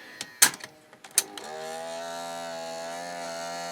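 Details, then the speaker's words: AIWA TP-724 tape recorder, fast forward struggling while everything else works: a few clicks then a steady low motor hum that never climbs in speed; slow fast-forward from slack idler wheels and a lever found bent on one side. "yeah it's struggling okay so I got a good idea of what's going on everything's working except for Fast Forward rewind"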